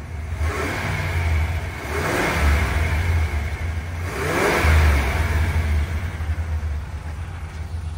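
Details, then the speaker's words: 1979 Chevrolet Impala V8 (possibly 305), new quiet factory muffler and resonator fitted: deep even rumble swelling cleanly through two throttle blips and settling smoothly; healthy normal revving. "so smooth so smooth let me let me hit the gas so you can hear that motor"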